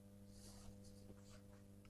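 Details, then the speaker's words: Columbia valve amplifier on test with cathode resistor changed to 220 ohm; low steady hum at about 94–100 Hz, rectified at twice the 50 Hz mains, around -60 dB at the speaker. "a bit of hum. So on the F&T plot, we've got a hum at 94 hertz. So that's rectified hum."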